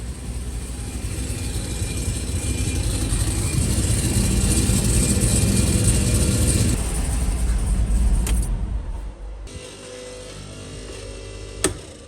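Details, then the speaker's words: 2004 Chevy Colorado with a cammed 5.3L LS and hidden turbo kit, after giving all spark plugs power: deep, even V8 rumble with all cylinders pulling smoothly, very quiet exhaust and barely audible turbo, then settles as revs drop; running healthy. "I was wondering why you didn't really hear the turbo much and maybe that's just how it's going to be"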